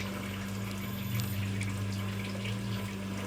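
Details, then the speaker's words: Refrigerator/freezer during freon charging after a capillary blockage: steady compressor hum under a soft continuous liquid hiss and gurgle, the refrigerant now flowing freely through the capillary. "Saya biarin terus sampai habis, supaya berjalan sampai freezer itu bunyi freon berjalan itu sampai habis."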